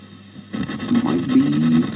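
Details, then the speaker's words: Vox AC30 C2 guitar amp with four EL84 and three ECC83 valves, owner reports crackling, hiss and hum: on switch-on a rough, spitting crackle swells over a low hum; crackling from a faulty power tube. "okay let's switch it on and see what the problem is yeah here we go let's do that oh yeah really noisy crackling"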